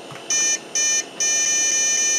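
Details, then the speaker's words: Old 486-class Packard Bell PC at boot: two short beeps then one long; BIOS lost settings and date/time, dead CMOS battery; battery failure beep code. "Okay, I get it. Problem. problem. Roger. Danger. Danger."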